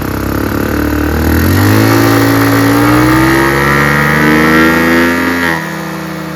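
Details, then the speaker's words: Chinese GY6 150cc scooter with air box removed and no air filter: bogs and stalls with full air, but revs climb and hold higher with the intake partly covered by hand; owner suspects too lean a mixture. "If I put my hand covering the intake, it runs better and it idles really fast."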